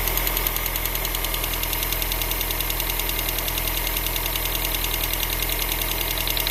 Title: X20XEV ticking sound